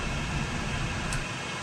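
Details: Fuel oil furnace burner on trial for ignition after confirming oil reaches the burner; heavy, steady roar with deep rumble as it lights, air-fuel mixture suspected off and carboning up — rough burner firing.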